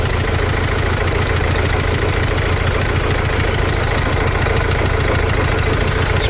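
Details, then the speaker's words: Mercedes Sprinter diesel at idle, loud lumpy chug with a recurring stumble; one cylinder missing. Smooth-running correction value for cylinder 2 out of permissible range, so number two injector suspected faulty. "the teaching of climate of cylinder 2 is 40. the correction value for smooth running our control cylinder 2 is out of the permissible range so maybe number two injectors forty"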